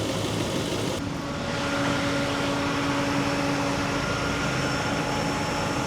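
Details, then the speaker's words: Power steering pump whine: steady mid-pitched whine over running engine as new pump sucks in air with no fluid, caused by a leak being traced, possibly near new valve cover. "Hear that whining noise? That's cuz the pump's sucking in air. Ain't no fluid in it."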